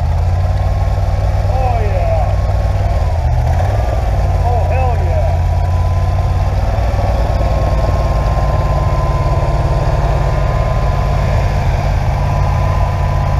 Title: SBC 350ci 300hp First Start After Rebuild.